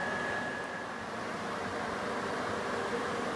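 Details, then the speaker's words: Fiero GT-chassis replica kit car after rewiring the fans and fitting a high-performance radiator: engine fans switched on from the cockpit give a soft, even whoosh with steady motor hum and no rubbing or rattle. All four fans work. "can hear that one as well so it looks like all four fans are working perfect based off of that switch so now there's full control from inside the cockpit"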